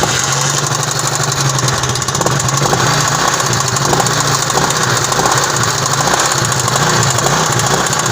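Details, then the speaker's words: Honda CD70 motorcycle whose engine noise is absent on the center stand but appears on the side stand and grows louder at high speed. A fast, even "kat-kat" ticking knock rides over the revs; owner suspects a rod. "अब ये high speed में जाती है तो आवाज ज्यादा करती है। Cut cut cut cut cut cut cut cut cut इस तरीके से।"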